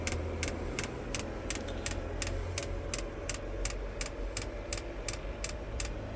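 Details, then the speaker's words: HCALORY 8kW diesel heater, first start-up on H10 hottest mode: sharp even ticks nearly three a second over a low blower rumble as the dosing pump primes the fuel line; normal. "You can hear the ticking. It's not too bad. Fuel's coming round."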